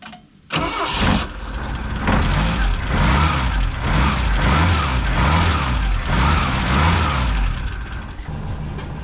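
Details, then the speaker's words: Saab Sonett after tightening a loose exhaust fitting found near the starter: cranks, catches and settles into an even, throbbing idle with no puffing or ticking. The exhaust leak seems solved, at least for now. "well it sounds to me like the exhaust leak has been solved at least for now"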